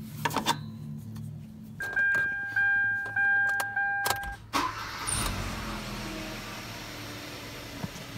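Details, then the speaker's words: 2014 Kia Rio 1.6 after crankshaft position sensor replacement for hard start, stalling and dropping RPM gauge: dash chimes, one short crank and a prompt catch into steady idle; starts much better. "definitely starts a whole lot better RPM gauge is definitely working"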